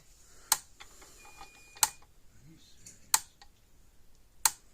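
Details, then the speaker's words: Old purple-cased Gallagher M1500 electric fence energizer, brought in clicking with weak to no output, on test during repair with a tester reading about 9.9–10 kV: crisp, even snaps about every 1.3 seconds over a quiet background; it is pulsing normally. "Get about 10,000 volts, 9.9, you know, right around 10,000 volts out of it."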